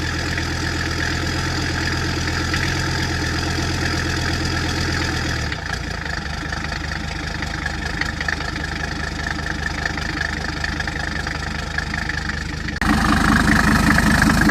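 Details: Mercedes-Benz W123 after a long sit, first test start of a newly installed turbo diesel engine, no coolant yet: steady, even diesel clatter at idle with no misses or knocks, settling quickly; normal diesel idle.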